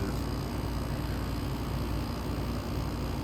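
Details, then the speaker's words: 1983 Gibson SlumberMaster window air conditioner, warmed up after running a while with a roughly 30-degree split in a 68–70°F room: a low, steady, smooth hum with no knocks; it rattles only for about five minutes at first start-up. "once it settles that runs very smooth"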